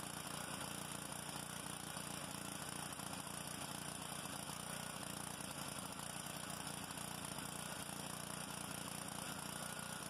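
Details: Honda GCV190 pressure washer engine after carburetor cleaning and new homemade gaskets, previously a no-start: even, quick putter at fairly steady speed with no stumbling or surging; running properly.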